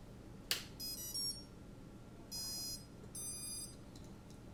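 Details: ESC beeping in repeated bursts of high electronic beeps on the bench from an HGLRC Arrow flight-controller stack, caused by a failed stack cable (a known cable issue affecting many stacks) that left the stack smashed.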